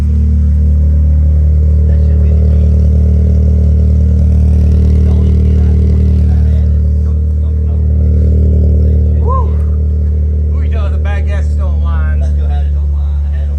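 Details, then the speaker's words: 1996 Mitsubishi Eclipse after a new fuel pump, no coolant in yet: strong, steady low engine note with even rhythm and a slight rev swell; engine starting and running. "There she is. She's starting up. She's not running on her own power."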